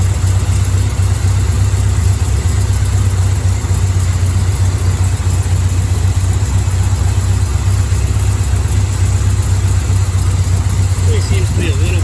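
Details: Chevrolet Bel Air carbureted V8 after setting timing to 12 degrees advance at 900 rpm, acorns found in exhaust: loud, loping uneven idle dipping near stalling; owner suspects it ran out of two-year-old gas.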